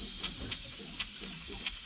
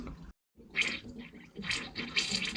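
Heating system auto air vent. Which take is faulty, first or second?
first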